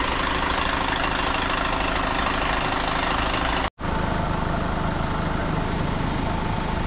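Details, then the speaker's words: Hyundai Starex CRDI diesel after low-power top overhaul with new piston rings and cylinder head gasket, warmed up: even chatter at steady idle with no knocks or misfires, a brief dropout midway, running quiet; a healthy normal warm idle. "mainit na po ang makina nito mga boss at ang andar niya tahimik na."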